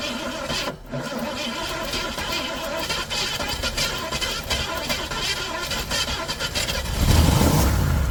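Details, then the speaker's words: 1973 Ford Maverick Grabber cranked for the first time after sitting 25 years, with earlier no-crank blamed on too-advanced timing: steady cranking about four beats a second, then it catches and roars briefly on poured fuel but won't keep running. "There it goes. Victory. We know now it will actually crank. All right. That was good. Definitely cranked. You got it cranked for about a second, for a few seconds."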